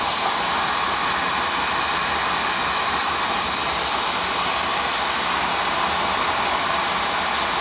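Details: Residential oil-fired boiler burner on an annual service after a bad nozzle was replaced with a new one, with a big improvement. Even steady roar with a smooth airy rush and no pulsing or sputter: the burner is firing cleanly.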